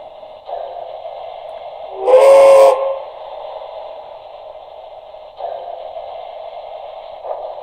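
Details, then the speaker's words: Broadway Limited model steam locomotive: chuffing then harsh, buzzy whistle blast as the speaker, not snug in the tender shell, vibrates. "but you'll notice as soon as i hit the whistle hear that awful vibration you can pretty much hear it every time it chuffs you can hear it"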